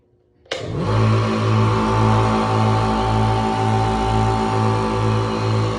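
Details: Reaim air compressor after replacing the 18 µF capacitor with 20 µF, still on 205 V supply: motor kicks on cleanly and settles into a steady hum with an even pumping pulse about four per second; running normally.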